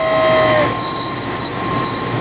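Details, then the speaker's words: Chevy Cheyenne 3500 HD boom truck, 454 engine, 146,000 miles: steady high-pitched whine over the cab noise, stepping to a higher tone partway through; the AC blower motor is noisy and needs replacing. "a noise in it so it's gonna need a power motor"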